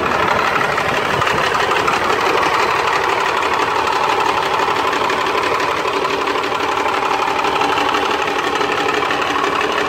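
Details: Rebuilt Cummins 12-valve diesel, bored .040 over, timing about 16 degrees, newer injection pump, at idle: harsh clatter with uneven stumbling miss, rough idle worsening after driving or revving until it dies; runs smoother with filter drain open, cause unconfirmed.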